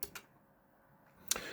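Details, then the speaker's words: Datron PRC-1099A HF SSB military transceiver controlled by a CatTouch display: short, sharp relay clicks, two at the start and two at the end, in a quiet room as the radio changes channel; normal. "And you can hear the radio clicking in the background and that is as it's building the list it has to change each frequency."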